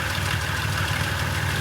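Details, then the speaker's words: Bus engine, described as a Dodge/Chrysler product, started after a filter change: steady idle with a light busy valve-train rattle over the low engine note, no leaks; cause not pinned down. "there we go all right well still sounds like a Dodge or Chrysler product with all the rattling but um yeah we're not leaking sweet"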